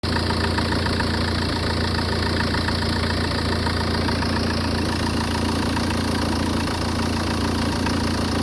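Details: Peugeot 406 2.0 HDi diesel idling: uneven, lumpy, unstable beat with a loose knocking and strange noises on top; cause unclear.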